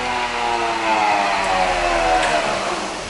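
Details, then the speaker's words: Toyota Esquire (Noah ZRR80) minivan on lift, wheels driven: steady layered gear hum sinking in pitch as wheels slow, complaint of hum at speed; diagnosed as worn CVT reduction gear, transmission to be replaced. "это редуктор будем менять вариатор"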